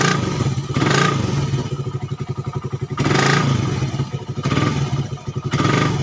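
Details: Suzuki Satria FU 150 cc after fixing the cam-chain top timing another workshop set wrong, which had caused rough idle and weakness. It idles evenly and picks up cleanly through several throttle blips, settling back without stumbling. Smooth and healthy.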